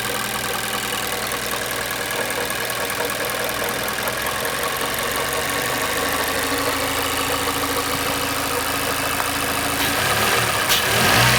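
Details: 2017 Mazda 6, Skyactiv 2.5, 78,000 km: steady ticking knock about three per second over the idle, present at idle and in Drive; cause unknown.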